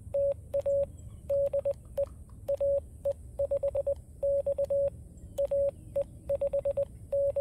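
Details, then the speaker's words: FX-4CR transceiver transmitting CW: roughly 600 Hz Morse sidetone with a crackly, scratchy edge on each element, only on CW transmit, not on receive, so not a loose connection; scratchy CW sidetone. "it just sounds like a scratchy speaker that's not what it is because I only get that when I'm transmitting CW"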